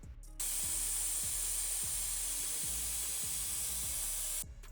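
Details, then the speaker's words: BMW E46 idling about one to two hours after sitting over a year, to burn off old fuel; steady loud hiss of hot coolant steam escaping from a cracked, aged plastic coolant expansion tank; coolant leak. "It wasn't really smoke, it was just steam from the coolant coming out of the crack and just going everywhere."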